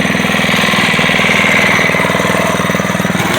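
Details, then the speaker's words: SSR pit bike, first cold start on choke after carburetor cleaning including float and a new air filter: starts on one pull into a quick, even single-cylinder cold idle with no misses or knocks, running clean. Normal idle. "one pull there it is there she goes and cold start two PS baby running nice and clean oh yeah"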